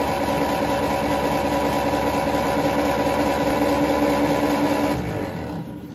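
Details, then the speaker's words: Ferguson T20 tractor, a barn find, with new oil and new points (0.4 mm) and capacitor: cranked with the plugs out to raise oil pressure. An even whirring spin of about 2.5 turns per second with no firing, then winding down. "I think it's a really good idea to do this before that I tried to start it and also before I installed the sparking plugs to it because uh I guess that the crank was really really dry after all of those years been standing there"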